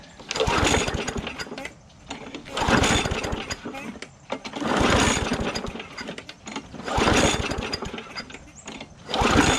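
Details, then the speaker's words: Bolens 22-inch push mower with pulse carburetor, tank suspected of water: repeated rope pulls about every two seconds, a few pops but never runs; spark not yet checked. "Sounds like it wants to go. Let's check for spark on this."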